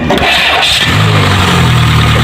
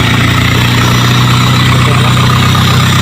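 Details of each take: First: Peugeot 206 with intermittent no-crank: short crank, then engine catches and settles to an even idle after the starter motor was tapped and jumpered; a loose magnet jamming the starter armature suspected, not confirmed. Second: 2006 Peugeot 206 after a starter motor that was sticking: engine cranks and settles into a steady, even low idle with no misses, knocks or starter drag; runs smoothly.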